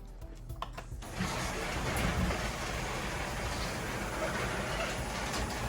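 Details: Genie ISD990 screw-drive garage door opener after replacing faulty safety sensors that caused clicking and no movement: a few clicks, then a steady low motor drone and rattle as the door runs normally.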